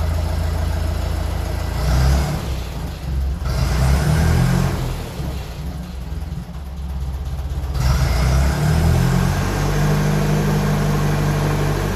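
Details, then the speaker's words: 1957 Ferguson 35 TVO tractor started after clearing spitting from the exhaust and setting ignition timing, mild evening: engine catches and runs with low thumping beat about four per second, revs rising and falling. "so I'm going to give this a start and see is it any better since I've managed to get a lot of that spit and apart out the exhaust sorted"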